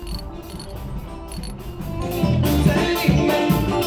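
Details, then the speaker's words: Sailboat winch after cleaning, degreasing the bearings and oiling the pawls: quick, fairly even ratchet clicks, roughly two per second, as the drum turns; pawls engaging cleanly. "Oil the little clickers with the proper oil, and listen for the clicking sound."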